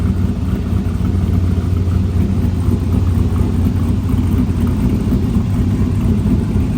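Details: Snowcat with new Texas Speed 408 LS V8 swap, first start, 190-degree thermostat, no exhaust yet: deep, even rumble holding steady, no knocks, misses or ticks; great oil pressure; normal idle.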